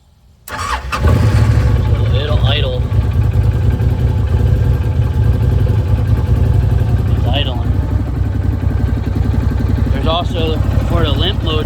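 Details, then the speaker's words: 2012 Arctic Cat Wildcat 1000 said to be in limp mode, cause unknown (no seatbelt or belt-drive sensor found); fuel pump kicks on, engine starts and idles with a steady, slightly uneven low rumble; starter reportedly not working properly. "Fuel pump kicked on. This is a bit sketchy and I'm not really sure why it's doing this."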